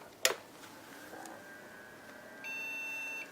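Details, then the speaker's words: HP Pavilion a6110n AMD 64 desktop, tested with single memory modules: one long steady high-pitched POST error beep under a second in a quiet room; motherboard judged dead. "Yeah, it's still not very happy. So, I've got my doubts."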